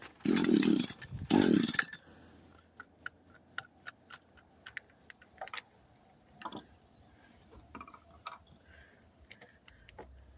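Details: Echo SRM 225 trimmer after WD-40 and partial fixing: two short high buzzing bursts then cuts out to clicks, won't stay running and bogs down; cause unknown, later runs.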